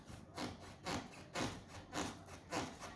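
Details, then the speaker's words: Dry wooden creak repeating about twice a second as weight shifts on hardwood floor boards; a loose subfloor nail working in its hole, to be fixed by screwing the subfloor to the joist. "okay this nail is moving too oh see I just hit the nails it's loose"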